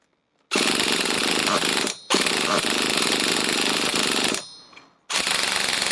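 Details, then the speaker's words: Nitro Trophy RC buggy that the previous owner couldn't get running fires in short, high buzzing bursts of a second or two and keeps dying; likely running lean from a misset low-speed needle. "Right, the low speed needle seems Well, we just turn that low speed needle out just a little little bit more."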